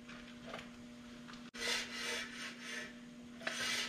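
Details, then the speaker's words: Slow, repeated scraping swishes as the hub is turned. The rotor is rubbing the backing plate on a 2001 Dodge 2500 Cummins front axle fitted with 2004 brakes and 1-inch-larger rotors. "now something you do if you listen you can hear it touching this backing plate"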